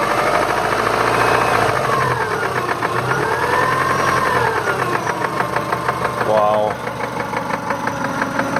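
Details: 1999 Subaru Legacy EJ22 with 150k miles: loud, regular deep bottom-end knock at idle, a few beats per second; began as suspected piston slap and worsened within 20 miles after a timing belt change, owner suspects rod knock.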